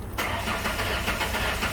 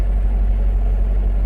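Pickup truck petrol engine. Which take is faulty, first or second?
second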